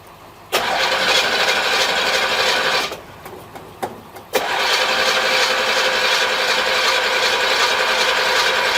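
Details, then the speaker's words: 1963 Chevrolet Impala on a jump box: starter cranks at a steady rapid pace, pauses, cranks again but never catches; crew suspects it may be out of gas, unconfirmed. "gas it's got gas in it question I think it might be out of gas could be out of gas"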